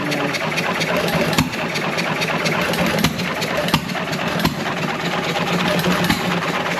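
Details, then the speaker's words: John Deere 1.5 hp gas engine revived, with low compression thought to be from ring blow-by, barely warm after a couple of minutes of running. A steady chuff with sharp firing pops, no knocking or banging, a little smoke; running well. "it sounds pretty good though not knocking and banging there smoke"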